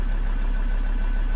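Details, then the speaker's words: 2013 Ford Ranger 3.2 L five-cylinder diesel, just restarted after a crank-no-start fix and fuel bleeding, idling to charge a low battery: low, even rumble with a steady beat, no stumble; an injector code is stored but no misfire is felt. "Let's leave it let idle a little bit to charge the battery up, and then I'm going to remove the fault and the check engine light"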